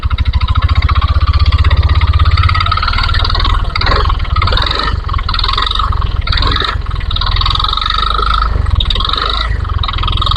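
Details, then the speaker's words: Yamaha All New NMAX 2022, under two years old, mic held close while revving: harsh rattling clatter over a low pulsing exhaust beat, worse under hard throttle; CVT area to be checked as the source. "Jadi, bisa dibilang sepeda motor ini mengeluarkan suara berderak."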